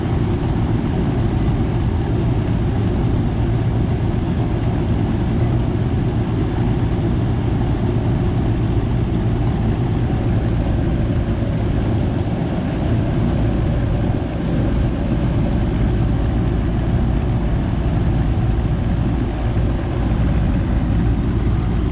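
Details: Goodman outdoor AC unit that wasn't cooling (fan ran but compressor didn't), after fitting a new 45/5 MFD capacitor: steady, even low hum with the compressor starting and running normally.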